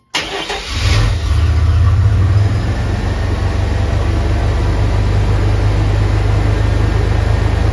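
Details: 1988 Chevrolet S-10 pickup a few days after a throttle body injection rebuild. Cranks briefly, catches right away and settles into a steady, even low idle with no misses, knocks or hunting; healthy start.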